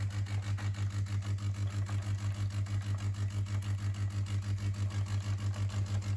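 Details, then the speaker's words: DeLonghi coffee machine after repair of metal noises and red triangle error, brew unit drive shaft serviced: steady low motor hum with smooth even pulse about three times a second and no metallic rattle; brew unit cycling normally. "and now after assembling you can hear uh the sound of uh perfectly working machine Delon so uh let's here H take an example you don't hear any metal uh sounds uh the sounds like uh a coin in the metal can here perfect"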